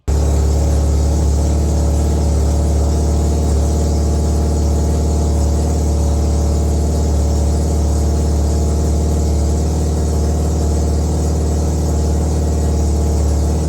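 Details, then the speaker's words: Mazda RX323 (323 with 13B bridgeport rotary) that had been running rough, idling after ignition timing was set, with the old distributor parts refitted: a steady, even rotary idle with a deep low drone and no misses or surging. Normal idle. "Sounds all right."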